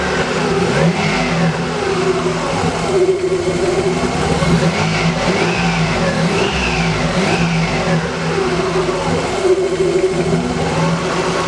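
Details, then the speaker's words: Z car first start after a timing belt job, with a kinked power steering hose replaced before bleeding the steering. Steady, even idle with a smooth low hum and no knocks or misses; the engine runs healthy and settled. "Sounds good to me. Man, that sounds good. It's smooth."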